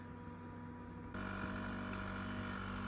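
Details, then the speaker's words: Alpicool C50 12 V fridge powered by a Jackery 500, running in max mode; compressor hum steps up, faint buzzy rattle about four times a second; source unknown, vents arrived damaged. "okay i don't know if you can hear that but the fridge has started to rattle i'm sure not gonna be happy with that when i'm in my van"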